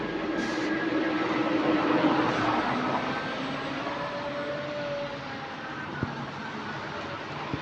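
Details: GAL EH179 electric bus on route 321, after a weird noise was fixed: a smooth drive with a soft, steady traction motor whine rising and falling with speed and nothing odd underneath. It sounds healthy.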